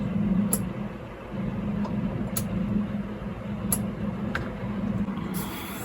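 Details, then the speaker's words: Sharp, crisp relay clicks over a steady low hum in a 1997 Jeep Grand Cherokee as pin six of the courtesy lamp relay is probed with ignition on. The relay clicks over normally and the courtesy lights come on. "we see our cesy lights coming on throughout the vehicle and we also hear that relay clicking over"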